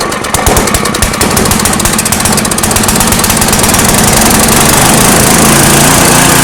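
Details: Small engine being fitted with a homemade tri-fuel kit, with new inline fuel filter and petcock, running on petrol with propane off: cranks briefly on full choke, catches cleanly and settles into an even, steady run with no misfire or knock.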